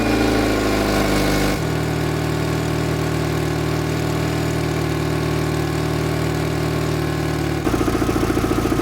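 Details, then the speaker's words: Car that stalled after roadside battery replacement, after cleaning battery posts and terminals, started: steady, even, smooth low-hum idle with no knocks, ticks or whine. "i'm going to go ahead and start it up we shouldn't have a battery light as long as this alternator is not defective"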